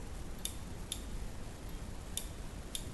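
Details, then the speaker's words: Kossel delta 3D printer effector probe microswitch, gently pushed up and released: two crisp double clicks about half a second apart in a quiet room; switch triggering cleanly. A missing double click indicates the cause of intermittent probing failures. "just slightly push the probe up and just gently Let It Go and if you don't hear that double click you know that's the solution you"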